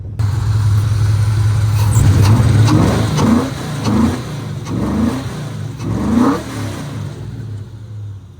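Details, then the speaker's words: VH45 V8-swapped Nissan 240SX (S13) with a new engine harness, on the iPhone internal mic: deep, even V8 burble with quick throttle blips, pitch climbing cleanly and settling back; strong, healthy engine. "Sounds freaking good. I love this car."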